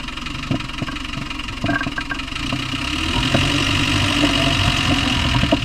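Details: Land Rover Discovery 1 300Tdi diesel at idle: hard knock repeating about three to four times a second over the diesel clatter; cause not yet identified.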